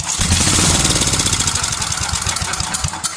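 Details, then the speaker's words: 33-year-old Homelite 8 hp 4,400 W yard-sale generator, long unrun, started on primer fuel: ragged uneven firing catches for a few seconds then fades. Brief firing on primed fuel. "So this is going to make a racket. It's probably going to blast out everywhere because it hadn't run in a long time."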